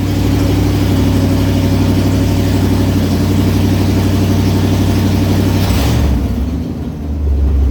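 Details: 1989 Ford F150 project truck running with the exhaust disconnected at the headers: very loud, raw, deep rumble with a harsh bark swelling on a rev near the end. Described as obnoxious, to be fixed.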